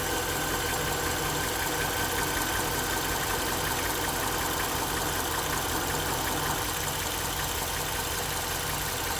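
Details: Mercedes-Benz GL 500 M273 V8, 72,500 km: idle with steady, fairly regular knock of roughly three taps a second over engine hum.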